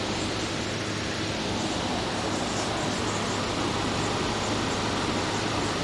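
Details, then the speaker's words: Air conditioner with a large S-Series Tecumseh compressor, just recharged with fresh R22 (no leak found, speculated low from factory), running and making heavy condensation. Smooth even air rush over steady low compressor hum, no knocks; normal running. "Unit being brought back to life. Fresh charge of R22."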